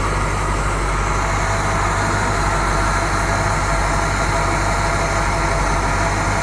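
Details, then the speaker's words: 1970 Buick Riviera 455 V8 being revived, running after fuel was added to stop its chugging, charging at 14.3 volts, before warm-up: steady even low rumble with no knocks or misses. Normal idle. "yeah sound good groans good"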